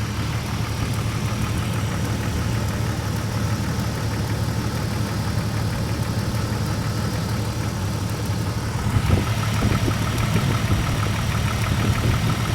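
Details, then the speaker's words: 1997 Jeep Grand Cherokee Laredo 4.0 inline-six, engine bay: idle shakes and runs unevenly, with an irregular ticking snap about twice a second like a spark arcing; homemade plug wires fitted, computer connector fault suspected for stalling and backfiring. "if you can see it it is shaking a little bit it's not running fully smooth like should be I think you come over here next to come here you can hear a sparking it sounds like a spark hitting something"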